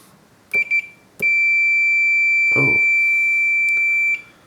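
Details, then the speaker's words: Boss PH-3 phase shifter pedal, power input wired via battery connector to barrel jack: quick chirps then a steady three-second continuity beep, showing a dead short on power; barrel jack has residue but no visible damage and isn't the fault. "dead short interesting"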